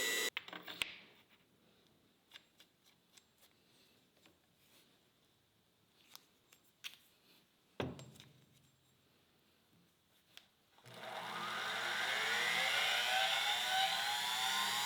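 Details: Lathe tailstock-bore grinder spindle after its wire was soldered directly to the terminal: a few quiet clicks, then a steady high whine rising smoothly and holding, no rattle or stutter; runs normally.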